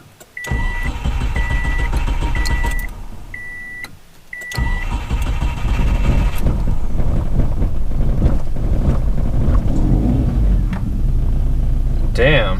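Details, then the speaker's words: Turbocharged 2006 Subaru Impreza Outback, first start after flashing a tune with rescaled MAF for a custom intake and 565cc injectors: chimes, cranks, stumbles to life roughly, then settles to about 500 rpm idle running lean; cause unknown. "I don't know what that was. That was rough. It's idling pretty normally around 500 RPM."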